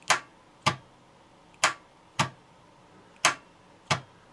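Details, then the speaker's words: Starter tested with a homemade button in place of the ignition feed: six sharp, unevenly spaced solenoid clicks with no motor spin and almost no voltage drop, so the starter is not seized; the cause may be the brush assembly or a broken winding. "Включаем кнопку. Слышно, втягивающее реле срабатывает, но стартер не вращается."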